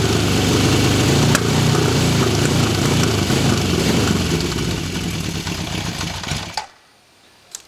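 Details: 1974 Honda CB750 Four running evenly with a clean rev blip before shutdown; no ticking, knocks, piston slap or valvetrain noise, a healthy engine that runs better once warm.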